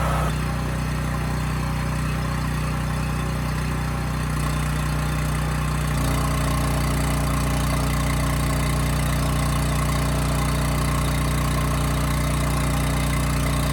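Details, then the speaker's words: Homelite generator with Mikuni carburetor after carburetor cleaning that cured hunting/surging, set to about 61.5 Hz no load then loaded to 3000 W: even drone settles slightly lower as load comes on around six seconds, no surging; governor holds speed. "okay good this thing runs perfect and uh that hunting is gone i mean that throttle was holding absolutely steady which is good"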